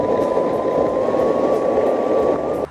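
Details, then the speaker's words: Alouette electric skateboard in beginner mode at low speed: a steady high whine near one kilohertz that climbs slightly as the board rolls, then cuts off cleanly. This is ordinary hub motor running noise. "it is a bit noisy just because you could hear the hub motor running and it's here weird"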